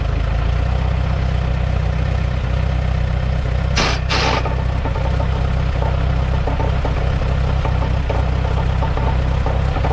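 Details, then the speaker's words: 1948 Allis-Chalmers C at steady idle, in neutral with PTO off, belt pulley hooked to a feed grinder: a loose, uneven knock about four a second; the drive belt is suspected to still be too loose. "I think it might be a little loose yet because I can hear it Knocking"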